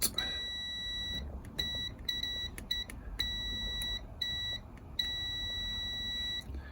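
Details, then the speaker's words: Speeduino DIY-EFI board being rebuilt after track damage, multimeter on continuity between ground and 5 V out pins: clear high-pitched beep in repeated bursts, showing a short from ground to 5 V still to be traced. "Okay, I've got the meter on continuity so we can hear it beeping. So if I go from ground to 5 volts, I get a short."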